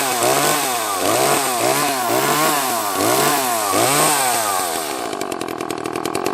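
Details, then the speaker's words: Echo CS-330T top-handle two-stroke chainsaw: high revs surge and sag about four times a second, then stumble and die; fuel starvation caused by a wrongly fitted gasket. "i found out why it wasn't working correctly and that was because uh somebody put this gasket on there"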